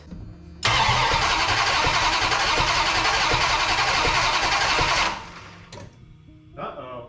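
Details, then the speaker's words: 1989 Dodge Ramcharger 383 with a new CRT Pro Series distributor and plug wires, rewired engine, no coolant yet: about four seconds of steady cranking that never fires. Owner suspects the ignition wiring. "i guess i better double check all my wiring going to the ignition i thought it was good"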